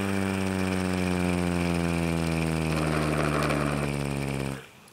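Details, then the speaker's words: Homemade mini Federal Signal Thunderbolt-style siren, hand-spun without its blower: a steady buzzing tone dies away as the rotor slows, with a faint scrape from the dry top bearing, which isn't spinning as it should. Bearing scraping. "most of it's actually just the bearing scraping but if you listen very carefully i really have got no idea if you can hear that or not but yeah that's what it sounds like that top bearing it even isn't even actually spinning which it should be"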